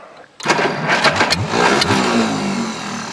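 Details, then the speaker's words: Tractor with leaking fuel and a weak battery: several uneven cranking bursts before the engine catches and runs roughly; hard start, owner blames the battery or choke, not confirmed. "Not the best battery in the world. Or choke."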